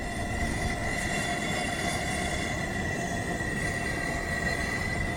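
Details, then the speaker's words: Coleman 425 camping stove, pressurized, burners turned up to full heat: steady, even roaring hiss with a faint high whistle and no sputtering or surging; burners running clean. "Turn the heat up high. Listen to that sound."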